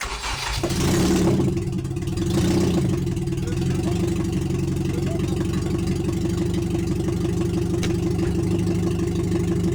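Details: Nissan Micra K11 swapped with an SR20DE four-cylinder, start after ignition timing corrected: cranks, catches, revs briefly, then settles into a smooth steady idle with no ticking or misses; quieter than expected, normal idle.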